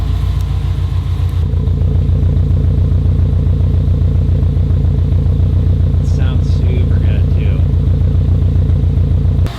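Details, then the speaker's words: Subaru STI after drivetrain swap and new exhaust, idling in reverse on very old gas after sitting too long; owner expects fresh fuel to improve it. Steady even low rumble, just under two pulses a second, no knocks or misses; normal idle. "yeah look at our idle perfect definitely some very old gas in this thing right now"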